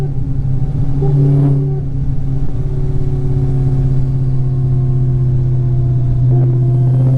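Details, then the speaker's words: Dodge Challenger SRT Hellcat with rebuilt MMX engine and ported supercharger, first drive after rebuild: steady low gear drone rising and holding under load, coming from the rear differential, not the supercharger; differential to be sent for rebuild. "that's not supercharger that's all differential"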